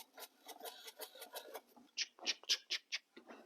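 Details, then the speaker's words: Husqvarna Automower 430X/450X after installing wheel brushes, cover refitted, wheel spun by hand with mic held close: light soft swishing strokes several per second as the brushes rub the wheel as intended; installed and ready to roll. "Right, so it's actually now those brushes are installed and it is ready to roll."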